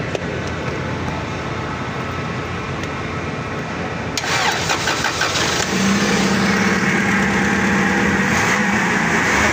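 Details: Forklift engine, after all four spark plugs were replaced for a misfire, catches and settles into a smooth, steady idle with no stumbling or missed beats; normal idle.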